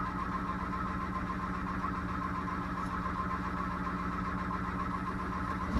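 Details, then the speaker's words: Sailboat electric inboard motor under way: a steady rough squawk or screech with a high thin tone over the motor hum, heard from the stern and side, caused by propeller cavitation. "There's a noise you can hear. That noise, like screeching, is actually cavitation on the propeller."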